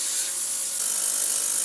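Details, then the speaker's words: Inexpensive ultrasonic cleaning tank with three transducers, used for vinyl records, on a 5-minute timer with unheated water at about 20°C: steady, even high-pitched hiss with no hum or pulsing, agitation visible; normal operation. "I've switched it on put it on the 5 Minute Timer turned it on you can see some agitation in the bottom particularly at this point here"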